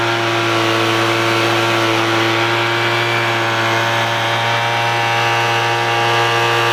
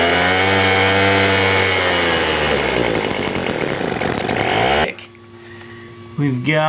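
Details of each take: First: $10 Craftsman two-stroke leaf blower after the low-speed mixture screw was opened about a quarter turn to cure stalling: holds a steady, even buzz with no stumbling or dying out, running smoothly at a fixed speed. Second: $10 Craftsman two-stroke leaf blower (the seller says wrong fuel was used, air filter missing), cold start with choke on and bulb primed, fires and runs high, then sags and dies within seconds; lean low-speed mixture, low screw needs opening about a quarter turn.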